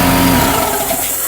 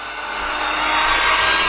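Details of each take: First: EcoFlow Delta 2 Max in X-Boost mode already loaded near 3000 W, 1000 W air compressor (about 3000 W startup surge) switched on: low motor hum surges about one second then cuts out as the AC inverter shuts down on overload. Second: EcoFlow Delta 2 Max in X-Boost mode running a 1400 W hot plate and 1500 W heat gun at about 2400 W: hot plate switched off, heat gun fan's rushing blow and faint whine climb in RPM as the station's output voltage changes.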